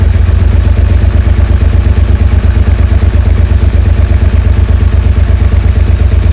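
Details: Suzuki SV650S V-twin after fitting two new carb washers replacing a missing and a broken one: even, loping low idle, no racing; no longer 7,000 rpm, idle now adjustable.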